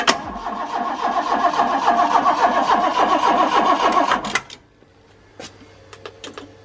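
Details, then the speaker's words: Car that hadn't run for over a year, jump-started because the battery is weak: the starter cranks steadily for about four seconds and never catches. No fuel is being delivered. "try it again nope doesn't start all right so it's the next day i couldn't get it started yesterday and it was kind of well frustrating"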